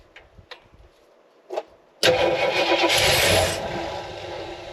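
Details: Jeep Wagoneer with what may be a Quadrajet-type carburetor and the choke apparently removed: a few faint clicks, then hard cranking with no firing. Crank no-start with the starter hiccuping; owner then tries pouring gas into the float bowls. Cause not confirmed.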